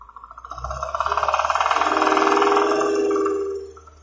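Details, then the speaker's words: UAZ Patriot engine at idle: fast, even knock from one connecting rod bearing, similar to a hydraulic lifter but not one. "Ну, вот сейчас четко слышно на холостых, как один стучит. Похож на гидрокомпенсатор, но это не он точно."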